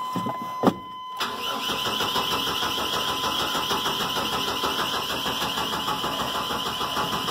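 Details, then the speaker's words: 1986 Chevrolet 1500 4.3, cranked with brake cleaner in the intake and pedal mashed: steady, even starter cranking for several seconds, never catches. No spark suspected, possibly a bad coil, unconfirmed. "No spark. Maybe a bad coil. I don't know. Coil's right under there."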